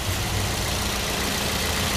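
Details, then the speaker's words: 2009 Toyota Yaris E used car at idle during a pre-purchase check. Steady, even hum with a faint throb and no knocks; not perfectly smooth but normal idle. "Terus suara mesinnya, pastikan suara mesinnya halus, adem dan nggak terdengar suara-suara aneh. Kalau diperhatikan di mobil gue ini, suaranya masih normal, walaupun nggak terlalu halus banget, tapi masih normal."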